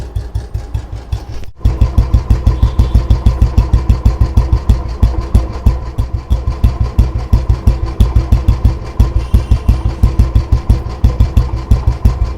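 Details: Old disposal Royal Enfield Bullet 350 after restoration (engine not opened, only tuned and cleaned; carburettor cleaned, clutch side repaired): starts and settles into a steady, even single-cylinder thump at idle with no knocks or rattles. Healthy engine and exhaust beat.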